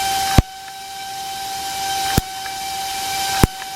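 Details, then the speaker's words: Paslode Impulse nail gun with intermittent misfires, tested with battery and fan running, no nail or cylinder fitted, after cleaning parts: steady fan hum broken by three sharp bangs about every 1.5 seconds; fires cleanly each push, ignition seen. "the moment I don't know if you can hear that it's firing you can hear the sound"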